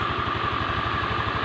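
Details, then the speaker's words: Honda Beat FI scooter after compression and fuel pump repair, oil pump confirmed working: steady, even low putter at idle with no knocks, ticks or misses; normal idle. "motor ini kendalanya yaitu dibagan kompresi dan juga BPM kalau semuanya Normal itu motor akan lancar seperti ini teman-teman"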